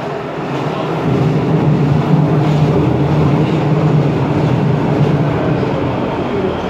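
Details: Ansaldo Breda light rail car no. A19 (Ankara A1 line), built in Italy 1996, AEG motors, three-car set: loud continuous rolling roar with uneven rumble and rattle throughout the run, excessive running noise, no clear cause.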